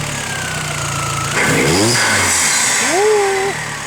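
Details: Astra turbo with the air box disconnected: short rev bursts, then a whooshing chatter as the throttle snaps shut; compressor surge flutter.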